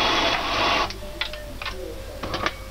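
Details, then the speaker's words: De'Longhi coffee machine after repair of poor grinding and heavy squeaking, grinder reinstalled and tested: a brief steady whir under a second, then light clicks, with no squeak or crunch. Normal grinder operation. "но вот заварное устройство уже работает мягче без хруста без крипов кофемолка работает ровно"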